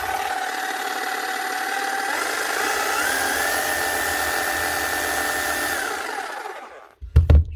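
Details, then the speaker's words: 2008 Makita HM0860C chipping hammer after teardown; new bearings quietened the motor and the gears sound less loose and rattly. Steady whine climbs in pitch and holds even without rattle, sounding healthy. "then bearings made a massive difference quietened down the motor quite a bit and just tightened everything up again so it's not as loose and rattly inside the gears don't sign as bad now"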